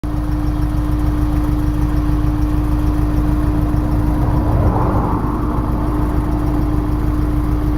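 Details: Honda S2000 petrol engine at idle with an uneven, lumpy beat, a stumble of about three pulses a second from a misfire.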